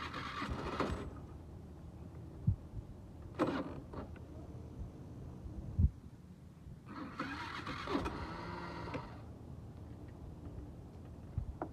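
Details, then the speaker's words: Suzuki Let's 5 scooter, four-stroke 50cc fuel-injected, in rough condition; after a copper wire found in place of the fuse was replaced with a new fuse and compression checked good, electric start gives short, sluggish cranking bursts without catching; owner suspects a weak battery. "sounds like the scooty wants to start but the battery seems to be weak though as you can hear"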